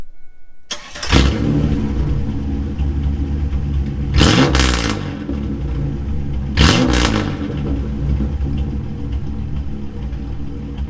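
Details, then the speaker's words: 1997 Camaro 3.8 L 3800 Series II V6, started and revved twice with muffler cut off: harsh, booming, very loud rasp on each rev; straight-pipe exhaust, before new muffler install. "That is That is just stupidly loud. Like I didn't even rev it that high. That is disgustingly loud."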